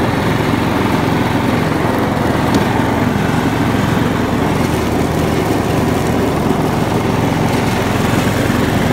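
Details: John Deere LX172 riding mower after new PTO switch and fuse, choke applied: steady single-cylinder drone with blades spinning, no misses or surging, deck engaged; normal running under load.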